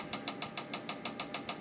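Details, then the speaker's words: Tandy 1000 SX computer with hard drive failed after years in storage: sharp light ticks about seven per second at power-up, never spinning up ready; controller recognized, drive fault suspected. "apply power you can hear that nice sound of the hard drive and we get a nasty clicking noise which is not a good thing it's not supposed to do that"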